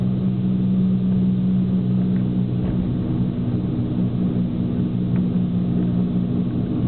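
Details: Fiat Punto HGT while driving: steady low drone under road noise; owner suspects a hub/wheel bearing, not confirmed.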